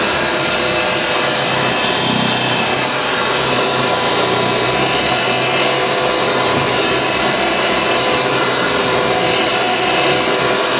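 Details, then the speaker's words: Refurbished vintage Hoover 612 upright vacuum running normally on carpet while picking up crushed Weetabix test dirt; steady, even motor whirr with a soft airy rush, no rattles or pitch wobble. "Not a problem at all. Got it all in one go. It doesn't rip the carpet apart, I've noticed. It does suck it up into it though."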